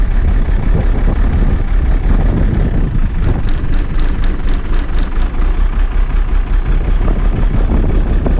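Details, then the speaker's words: Old bus diesel, cold start after last week's fuel pipe move, started without easy start: loud, uneven low idle surging and dipping, smoking cold; consistent with air drawn in at a wet, leaking fuel return. "Hey, it's better than it has been. Definitely. It's still smoking cold, but"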